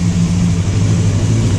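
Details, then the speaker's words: Free motorcycle, carb tops cleaned but bowls and floats not yet, on full choke: low throbbing idle whose pulses wander and stumble, idling rough though improved, puffing some smoke; cause unconfirmed, dirty carb bowls suspected. "It's still on full choke. It's idling, but it's rough."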